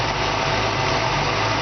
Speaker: It just purrs real nice.